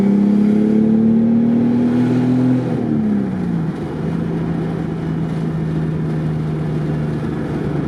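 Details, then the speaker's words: Built Toyota R154 manual in a daily drift car with a welded diff, driving: the engine climbs, drops at a shift, then holds a steady cruise drone with faint gear chatter. Normal, harmless gear rattle. "You get a noise like that, and that's just gear rattle, so nothing too harmful. Literally, it's just like the frequencies from the engine and the transmission matching, and it's making the gears rattle."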